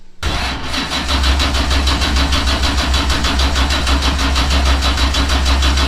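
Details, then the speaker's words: Patriot Performance 427ci LS with a solid roller cam and dry sump, on its first start: the starter cranks slowly and laboured at about two beats a second but never fires; strong fuel smell at the exhaust, and too much versus too little fuel is unresolved. "I can smell fuel. A lot of fuel coming through the exhaust, I'm sure. But why won't it fire? Is it not enough fuel or is it too much fuel?"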